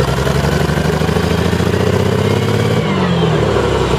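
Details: Striker FV102 (CVR(T)) tank engine idling unevenly with a lumpy, stumbling beat and dropped firing pulses; misfiring badly from a stuck valve, later fixed by fitting a replacement engine.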